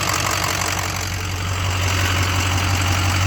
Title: 2006 6.0 Powerstroke lifter tick/rod knock?